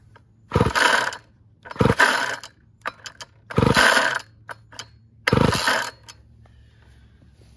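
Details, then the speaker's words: Weed Eater GTI 19 two-stroke trimmer from an estate cleanout: four separate cord pulls about 1.5 seconds apart with a rasping whirr and no firing; it has compression, but the recoil starter is slow to return. "seems like it has compression The Recoil is a little slow to return but let's keep going"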